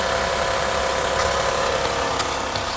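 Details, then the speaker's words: 2008 Honda Odyssey, about 170,000 miles, after replacing broken axle: engine runs with even steady hum in gear with no clunk or grinding from driveline; normal running, noise gone. "all right now let's go see no more noise"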